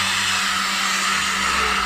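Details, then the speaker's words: Rare 1980s Hoover's electric power head run on minimum: harsh high whirring hiss with an uneven rough edge. Brush roll noisy; speakers think it may be the bearings or a loose wire, unconfirmed. "It's a little bit iffy as well. There's a It's little just the bearings, I think."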